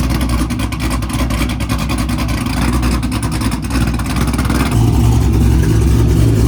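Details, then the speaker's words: Car sitting unused through cold weather, after a hard cold start and fuel pump priming: engine settles into a strong, steady idle with a deep even rumble, no misses or knocks; normal idle. "Alright, now she's idling, she's doing good."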